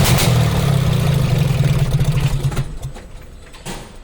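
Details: BS6 engine at idle: low, uneven throb with lumpy beat about four pulses a second before fading out; stumble pointing to a misfire.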